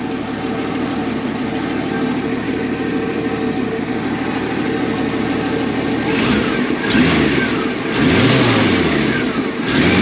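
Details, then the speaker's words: 1965 Ford Mustang with inline six-cylinder engine and single exhaust, spark plug wires replaced: steady, even idle, then sharp rev blips rising and falling cleanly with no misses; healthy engine. "Voilà, ça tourne bien, ça pète bien. Et ce et ce bon vieux 6 cylindres indestructible fonctionne lui aussi très très bien."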